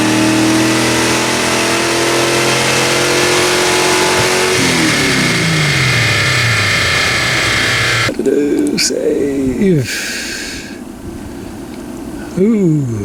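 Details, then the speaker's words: 1979 AMC Spirit AMX, rebuilt 304 V8 with Brawler carb and T5 5-speed, warm dyno pull under load: revs hard then lean pop and stumble as power falls away, air-fuel ratio up to 16:1; lean, more jet needed. "that's a lot more lean that was a huge lean pop yep lean stumble"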